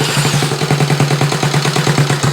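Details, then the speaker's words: Rebuilt Honda Z50 mini trail on its first electric-start run, choke in use, no throttle cable fitted: the small single catches and settles into a quick, even popping of about nine beats a second; it runs cleanly. "maybe a little bit more idle woohoo oh that sounds good woo that sounds good"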